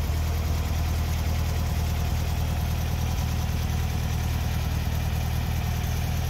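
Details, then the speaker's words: 1964 VW Beetle, 64K original miles, air-cooled flat-four, warm with the electric choke kicked down: steady even low putter, no misses or knocks. Normal idle. "the electric choke operates like butter kicks on cold in the morning just like it should kicks down just like it should as the engine warms up"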